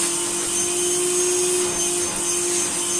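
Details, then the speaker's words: Refurbished Hoover Sonix vacuum cleaner, taped cracked hose end, on its minimum power setting: even, steady motor hum with a constant airy rush and no surging or rattles; runs smoothly but weakly. "So, because this is going to be a cheap vacuum cleaner, I just put a piece of tape on the hose. That is minimum power."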